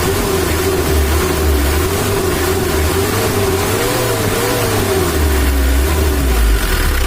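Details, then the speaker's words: 2013 Mitsubishi L300 diesel, still with blow-by, after adjustment: even, steady warm idle clatter with a low stable beat, no hunting or shake; idle lowered and stable, no longer shaking; normal idle. "ini mesinnya udah stabil langsamnya udah kita kecilkan tidak goyang kayak tadi"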